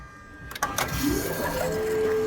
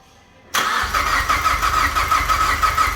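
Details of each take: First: Mazdaspeed 3 after head gasket replacement with head studs and a Cometic gasket, first key-on before fire-up: short electric whine rising into a steady mid-pitched hum, an unusually loud, odd-sounding fuel pump prime. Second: Mazdaspeed 3 first fire-up after head gasket replacement with head studs and Cometic gasket: short crank, catches cleanly, steady even idle with light whirring note; a weird pump-like noise was heard during priming.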